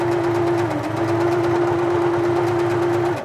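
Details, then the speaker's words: Singer Futura Electronic 2002 sewing machine from the 1980s, after its electronic board and motor were reinstalled and it was serviced: steady motor hum with a slight electronics hum and a clean, even stitch patter, no clatter or binding, then a clean stop; it runs properly. "You can hear just a slight hum from the electronics there. It seems to be fairly beefy electronics on these machines. They seem to be pretty reliable."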